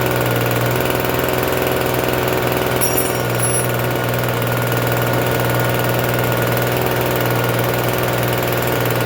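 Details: Free Troy-Bilt TB272V two-stroke leaf blower, restarted after sitting and being worked on: fast steady buzzing idle that never settles, still idling a little high even with the adjustment turned out as far as it goes.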